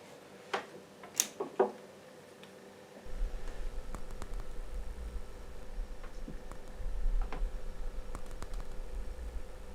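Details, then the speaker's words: KRK Rokit 5 Gen 2 powered speaker, left unit switched on: big pops at turn-on, then low steady mains hum with faint irregular crackles; hum and crackle. "so there is a big pop at the start which is terrible and there is a slight humming sound"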